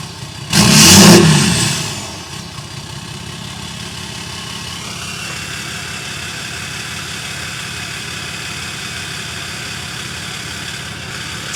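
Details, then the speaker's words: 6.7 Cummins with EGR/DPF/grid heater deleted, 5-inch exhaust temporarily fitted for sound test: quick crank, loud catch, brief flare, then steady even diesel clatter at idle with no misses; normal start and idle. "good. I mean, I still think I'm going to like it better with the 4 in on, but at least we know."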